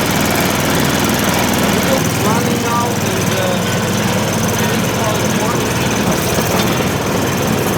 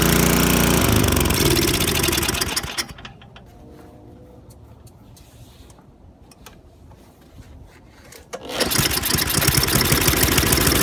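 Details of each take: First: MTD Yard Machines 24-inch snowblower with Tecumseh 195 cc 5 hp engine, running after carburetor change and fuel bowl filled, choke used: steady, even single-cylinder clatter with no hunting or misses; engine running normally. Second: MTD Yardworks 24" snowblower with Tecumseh 195 cc 5 HP engine, primed, on choke at full throttle, hand-cranked: runs loud and busy, drops to near silence, restarts, then dies once the choke is reduced.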